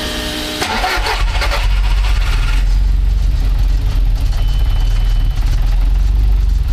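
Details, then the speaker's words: Car after a Garrett G25-660 to G25-550 turbo swap, with the EGT probe refitted to stop an exhaust leak: brief crank, then the engine catches and settles into a steady even idle; no leaks, normal start. "turbo swap is done engines running again have a good check under is all up to Thames no leaks and everything"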